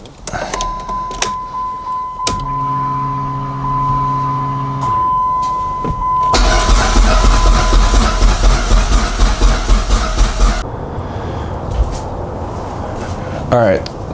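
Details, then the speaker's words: Dodge SRT-4 with a newly installed Walbro 255 fuel pump: a chime and short pump-prime hum, then about four seconds of even starter cranking that never catches. It cranks but won't start; a friend suspects a leaking injector. "The fuel pump is in and as you saw, it wouldn't turn over. So, um, he came up with the idea that it's possibly, um, a leaking injector."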